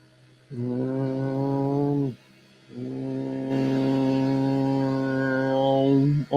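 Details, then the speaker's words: LDO Voron Trident 250 3D printer during resonance testing (shaper calibrate), run from the Raspberry Pi console: two long, steady buzzing hums of a few seconds each as the axes are shaken. This is a normal calibration run. Finding: resonance test vibration. "let's switch over to the um console here's where we're going to hear you're going to hear the vibrations"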